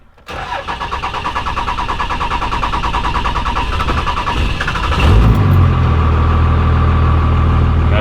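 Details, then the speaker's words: A 1965 Dodge D500 farm truck with a MOPAR 361 big block, sitting about two hours, cranks for about five seconds before catching. The injection pump's bad ball check valve in the return-line banjo bolt leaks fuel back; the bolt is about to be replaced. "so this is what it does when it's been sitting for a while and that injection pump just leaks all that fuel out of that check valve that bad check valve and it creates a hard start for my truck"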